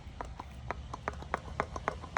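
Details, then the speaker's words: B&C 500 W, 5-blade, 24 V wind turbine producing almost no voltage (about 0.5 V to 50 mV): sharp, uneven pops about four times a second as the loose slip ring conductors slide in and out. The slip ring was probably shaken loose in shipping. "I don't know if you hear that popping, but there's a little bit of sliding in and out of this, and I don't know if that's supposed to be doing that. But maybe that's part of the problem."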